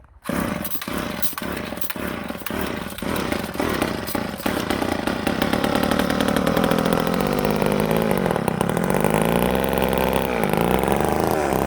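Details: Old Ohlsson & Rice chainsaw, sat 20+ years, after blowing out a plugged fuel tank air vent restored fuel feed (air cleaner possibly choked): catches after a few sputtering pops, then settles into a steady buzzing run as revs rise and hold.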